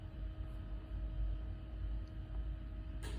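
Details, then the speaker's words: 1995 Mustang GT (347, 10.2:1) with a new 16-inch Proform brushless electric cooling fan in a sheet-metal shroud, switched on at 100%: relay click, soft start, then a steady even hum. Draws about 20-21 A; normal. "so here's an example just what it sounds like whenever you turn it on when I hit it this should turn the fan"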